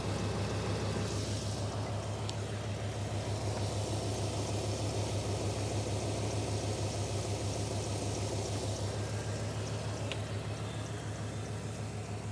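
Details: 1995 GMC truck with distributor just dialed in after owner-installed fuel pump; steady, even idle with smooth low thrum, no hissing or stumbling, timing now good and running clean and quiet.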